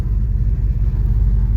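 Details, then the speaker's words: 1976 Chevelle Malibu after new transmission install, one quart of fluid added, warming up and idling in gear; low, even rumble with no clunks or slipping; transmission engages and holds, normal idle in gear. "sounds good I don't know how it sounds on camera but sounds good up close"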